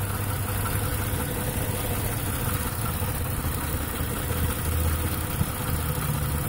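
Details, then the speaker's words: 2008 Ford Taurus X with an injector-pulse code on cylinder 1 (rear bank); a noid light shows the computer sends the signal but the wire doesn't carry it: rough, lumpy idle with one cylinder dead from a broken injector wire. "and as you can see that the computer is sending the signal because the wire is not carrying the signal so we have a break in the wire"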